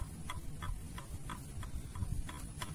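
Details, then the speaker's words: Yamaha Jupiter Z engine stripped down: connecting rod rocked by hand gives crisp metallic clicks about three times a second, a worn, loose big-end bearing; rod to be replaced. "Stang sernya bunyi, nyatok tok tok, pasti kasar suaranya, melatak, melitik"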